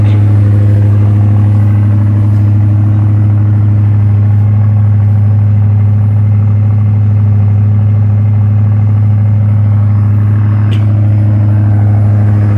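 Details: 1985 Ford Thunderbird, about 80,000 miles, cold start: steady fast even V8 idle with deep drone, owner guesses 1200–1500 rpm, lasting roughly 5 minutes; cause unknown; small hole in muffler.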